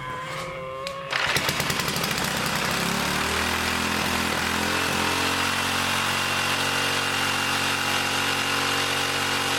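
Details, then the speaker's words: 1959 military engine run off a fuel line dropped in gas: catches and runs fast and steady, won't drop to idle; governor faulty or its bent linkage rod binding despite loosening and straightening; governor to be eliminated for mini bike use. "Well, yeah, there's something wrong with this governor, or this rod is binding. See, it's all kind of bent, kind of cattywampus. I tried to straighten it out to get it to move freely, but it won't idle."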